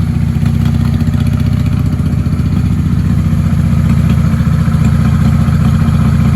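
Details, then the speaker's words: 1995 Honda Shadow VLX 600 (VT600CD) after cleaning the fuel petcock, running on an auxiliary fuel supply with a fully charged battery: steady, even, loping twin-cylinder idle with no knocks or rattles; charging system still suspected of not charging. "She sounds great now. I'm happy with that."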